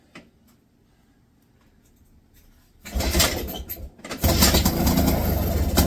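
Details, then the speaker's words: 1966 Puch Allstate two-stroke, first start in almost 50 years, throttle hanging open, good spark; after a quiet lead-in it fires, stumbles briefly, then settles into a steady buzzing run; starts and runs healthy. "holy holy hell it runs and sounds"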